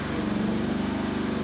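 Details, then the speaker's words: Homemade firewood processor, small engine bogging to a low heavy drone with the infeed valve fully pushed to reverse; infeed runs slow backwards though fine forwards. Owner suspects the solenoid, not sure. "When I try to go backwards, that's all the faster it goes, and that's at full. You can hear the engine bogging down."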